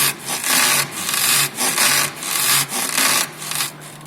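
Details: Volkswagen Jetta suspension: rhythmic dry rubbing creak, about one and a half strokes a second, from worn stabilizer bar bushings.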